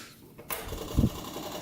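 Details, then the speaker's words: 500cc Honda motorcycle engine swapped pulling tractor, sat unused: steady buzzing hum with fine ticking as key goes on, electric fuel pump running with fuel line disconnected; pumped fuel shows rust and water. "oh yeah it's pumping look at that color though that's a little rough there's definitely water in it too"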